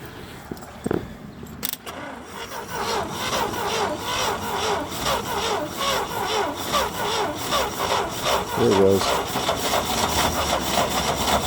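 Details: International Harvester Scout 80 barn find that sat about 17 years, fed by an electric fuel pump into a cup because the tank is clogged: the starter churns at about two and a half beats a second, uneven and slowing, and never fires. The owner plans to charge the battery.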